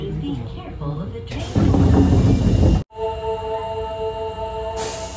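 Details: Osaka Metro Tanimachi Line 22 series trainset 15, outbound to Yaominami, arriving at the platform: the horn blares with a rough, hissing edge and then a steady multi-tone note lingers; abnormal horn sound, cause unknown.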